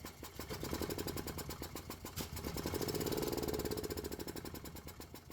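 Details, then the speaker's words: Gas Club Car golf cart: steady cranking at about four beats a second that never fires, even with starting fluid sprayed in. The fuel pump works, but fuel isn't getting through the carburetor because of a stuck needle and seat. "well I guess what's next is pulling off that carburetor and going through it and see why it's not getting fuel where it needs it"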